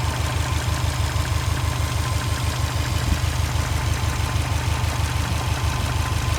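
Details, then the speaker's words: First start of a swapped EJ255 in a Subaru Forester SH9: idle with a steady light knock, about three per second, of unclear origin. An identical engine alongside is silent, and others suspect a piston pin. "слышен какой-то стук небольшой, но непонятно откуда."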